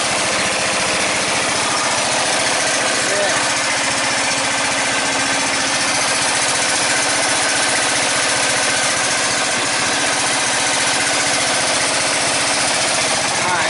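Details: Red lawn tractor, 14.5 Briggs & Stratton, after fuel line replacement: steady unbroken single-cylinder run under heavy hiss, holding speed with no surging or dying; running properly after repair.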